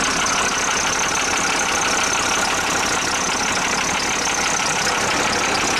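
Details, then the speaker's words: International truck, DT466 diesel suspected of mixing oil into coolant, heater bypassed, fuel solenoid faulty, after a fairly cold start: rough idle with faint uneven tap about two to three per second; owner suspects a lifter, possibly injector knock, unconfirmed. "with that noise that's in the engine not which I think is I still think it's a lifter it could be an injector knock too"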